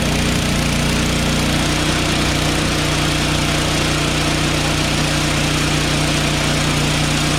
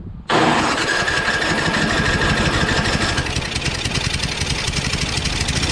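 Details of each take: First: Craftsman 5.5HP 24-inch two-stage snowblower after valve grind for low compression and stalling: single-cylinder engine runs steadily at even fast beat, no longer stalls with auger engaged, idles cleanly and more powerful. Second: Craftsman 5.5 HP 24-inch two-stage snowblower: catches with a sharp start, then a ragged, weak chuffing run; stalls under load when the auger is engaged, suspected very low compression, not the magneto.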